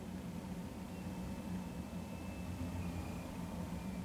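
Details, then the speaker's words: K4600 19-inch arcade monitor, horizontal oscillator inductor adjusted with a screwdriver through the chassis hole: faint thin whine sliding in pitch over a low hum, like tires screeching or an EV slowing; off-frequency horizontal oscillation gives a triple image. "I don't know if you sounds like tires screeching I'm turning back to the left here listen I'm going to go back to the right sounds like a electric vehicle slowing down"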